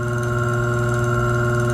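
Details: Reversible single-phase motor on contactor control circuit with pushbuttons and overload relays, run forward and reverse: even steady low hum at constant pitch, no knocks or rubbing; motor runs smoothly.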